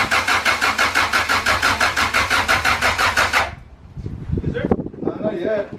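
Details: Honda Integra with newly swapped B20V turbo engine cranks evenly about three turns a second for three and a half seconds without firing; no power reaching the ECU, wiring harness suspected, new tucked harness to be ordered.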